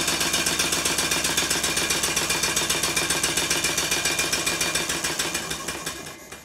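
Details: Completed Stuart 5A model steam engine running on steam in the garden, shorter exhaust pipe: crisp, regular exhaust chuffs near four per second, even and clean, easing off at the end; runs sweetly.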